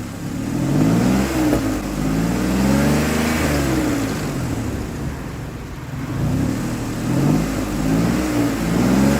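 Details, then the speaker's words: 2003 Ford Explorer that failed inspection for misfire, after replacing bad ignition coil: revs climb and fall smoothly, even exhaust note, no stumble under throttle: normal running. "Running smoother than it was. And once I put some pressure on it, it smooths right out."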